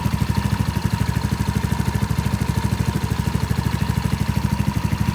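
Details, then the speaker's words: 2017 Ace 150 idling after an oil change, no oil leaks found: even, quick low thumping, steady with no rattles; healthy normal idle. "Alright, just let it idle for a minute. Check around there for some oil leaks. It's not leaking."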